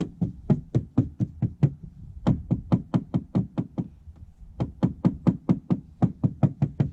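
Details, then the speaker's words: 1966 VW Beetle body, tapped by hand near rust and paint bubbles: quick taps, mostly dull flat thuds with a few brighter high-pitched rings; thuds are Bondo filler, rings are metal. "So the thuds are Bondo. Thud, thud, thud. Up here is more high pitch, that's metal."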